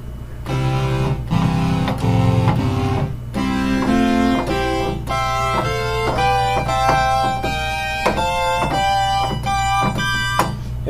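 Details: Oberheim OB-8 analog synthesizer, before repair: with only voices one to four on, chords sound clean and steady with no beating, so these voices are in tune. The problem voice board later had a number of capacitors replaced.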